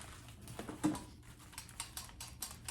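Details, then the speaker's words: Star Machine vacuum pump from a Cleveland engine breather system, turned by hand after a stuck regulator: light uneven ticking and rattling showing the vanes now slide freely in the rotor, a good sign. "you hear that rattling that's a good sign that means that stuff's moving around"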